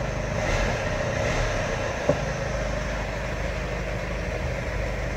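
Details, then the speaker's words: Mercedes Vito diesel restarted after the newly fitted alarm/tracking system's SMS engine cut-off is re-enabled by text: steady, even low idle rumble with no knocks, misses or hunting; normal idle. "Λάβαμε την επιβεβαίωση, οπότε τώρα μπορούμε να μιζάρουμε."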